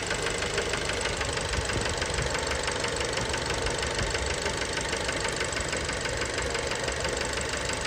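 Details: Fiat Bravo 2 1.4 T-Jet 150 HP at 215,000 km, after recent maintenance, close to engine: sharp fast metallic knock on every turn at idle; worn rod bearings confirmed, car scrapped, cause unknown; rod knock.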